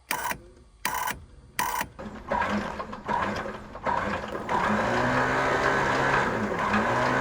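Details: 1977 Cessna 310Q sitting 20 years, starter test with mags off and plug leads out; a few sharp clicks, then a steady whirring crank with even gear whine; normal starter cranking.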